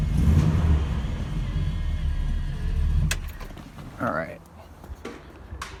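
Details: 1966 Buick Wildcat, original low-mileage 401 nailhead V8, started briefly during an oil change with fresh 10W30 to fill the filter: fires quickly, deep steady burble for a few seconds, then shuts off; running normal, oil pressure good.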